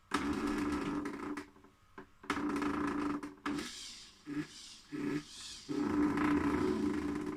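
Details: InMoov robot torso moved by servos after regreasing and fitting ball bearings: short bursts of servo whine with a dry creak under each move; creaking joint, source uncertain, pistons suspected.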